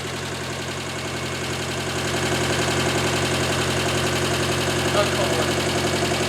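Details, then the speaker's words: Nissan 910 Bluebird wagon engine just started first crank after the distributor was plugged in: even idle with quick regular light ticking, top end still getting oil up; sounds good, normal idle. "It wants to live. Wow, and it sounds so good."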